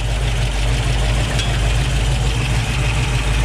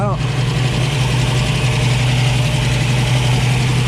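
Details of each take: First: 1965 Ford Mustang Fastback V8 with headers and Flowmaster dual exhaust, engine still cool: after lowering a too-high idle, it idles low and steady with an even, loping rumble and no knocks or misses. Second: 1965 Ford Mustang Fastback V8, 4-speed, headers and Flowmaster dual exhaust, cool engine: fast, steady drone well above a relaxed idle; choke likely not engaging so idle was set high, later turned down.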